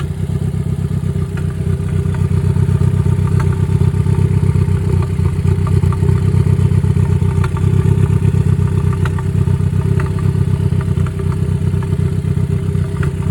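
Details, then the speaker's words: Ford Focus warm idle with a lumpy, uneven beat, roughly four stumbles a second, never smooth; scan tool shows misfire on cylinder three after recent spark plug and injector replacement; timing or installation fault suspected, not confirmed. "So is she misfiring? Really? So, we have a misfire detected cylinder three. We did recently change spark plugs and fuel injectors, so maybe we have something not correct."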